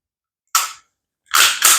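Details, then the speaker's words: SIG Sauer P320 pistol function check after reassembly: a sharp snap, then two quick metallic clacks as the slide is racked with the trigger held; crisp, normal action. "and then you'll hear a clunk pull the trigger one more time click good to go and reset it"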